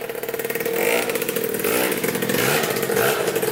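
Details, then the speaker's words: 2000 Cobra 50cc two-stroke mini racing dirt bike after top-end work and a rigged throttle cable, on a test ride: crisp buzzing that rises and falls with throttle, firing cleanly without misses or bogging; a healthy, well-tuned engine. "yeah she rips pretty good man thing is sweet this thing is tuned into awesome"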